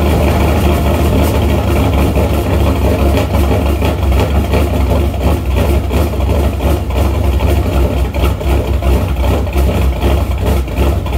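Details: Shelby V8 after new MSD Street Fire 8mm plug wires, boots and plugs: low lumpy loping idle with no steady rhythm, running rich until revved though it drives fine; owner suspects an ignition problem, possibly distributor rotor, unconfirmed.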